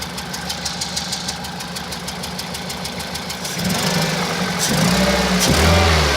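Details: 2001 Toyota Celica VVT-i, 140,000 km: petrol engine idles unevenly, beat stumbling about three times a second before revs rise; misfire on cylinders 2 and 3, P0300 and occasional P0420, wobbles at low rpm especially when warm.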